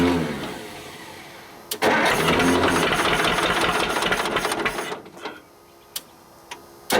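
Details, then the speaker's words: Cheap old Detroit two-stroke diesel dozer engine, sat with one cylinder full of water; lumpy, stumbling beat: misfire, running on only some cylinders, blows oil out the stack and smokes badly, to be treated by honing while running with Bon Ami. "so now uh this motor is obviously hurt it's hurt bad uh it is running on three cylinders as as anybody who's heard it run can attest"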